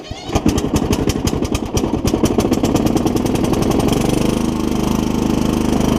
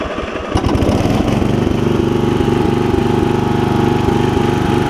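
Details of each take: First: Kohler Courage 20 single-cylinder engine on a mower, cracked block: uneven popping bursts, then ragged wavering running as it stumbles; owner suspects water on the spark plug. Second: Customer's single-cylinder mower, blades off, no choke, after carburetor fuel-air adjustment for bad surging (fuel bowl leaked slightly): catches quickly, fast even run without surging or cutting out; normal running.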